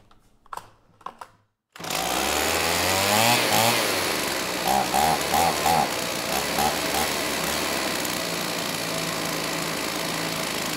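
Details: STIHL 028 AV Super two-stroke chainsaw, burned up from running on straight gas and rebuilt by an inexperienced friend with non-OEM parts, at high idle with choke off after carb adjustment: fires and hunts unevenly, pitch wavering, poor response off idle, lean at high speed; crankcase air leak.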